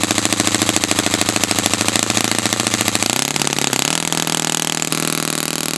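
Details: Brand-new customer Saito FA-100T twin engine on test stand, break-in run at high throttle: fast, busy popping exhaust note, slightly lumpy; running rich with plenty of oil from exhaust, not lean. Rich break-in run.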